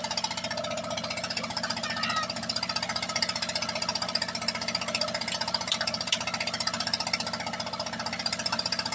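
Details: Engine after a rebuild, checked for misfires at idle: steady even idle with evenly spaced firing pulses, no skips or stumbles; no misfire found.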